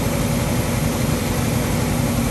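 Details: Ford 289-based 331 stroker, second start after rebuild, choke on: loud steady V8 rumble at fast idle with no valvetrain tapping. Idle is unsettled; owner suspects ignition timing is off after the distributor was reinstalled.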